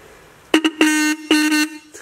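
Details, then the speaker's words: Rusty Mitsuba horn from a 1965 Honda S600 on a 12 V bench supply, before cleaning, after turning the fine adjustment screw: short, weak, thin buzzing honks that rattle and waver; the horn is lame and vibrating, so it will be disassembled and derusted. "that sounds super lame it also sounds funny it's all vibrating so nothing not works"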